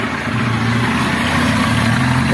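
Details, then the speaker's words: Motorcycle 160 that had an engine noise, after repair; steady even single-cylinder idle with smooth low thrum, no knocking or rattle, though leaking oil and being topped up: noise gone, normal idle. "Cadê o barulho sumiu tudo sem barulho nenhum sem barulho nenhum"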